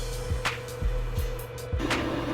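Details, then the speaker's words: Thrustmaster T300 RS GT wheel base after one year of use, wheel being turned: steady mid-pitched whine with soft thumps about every half second; the drive mechanism is noisy. "so one thing i noticed it's kind of noisy to hear it here and it has a naughtiness appealing when you uh turn the wheel"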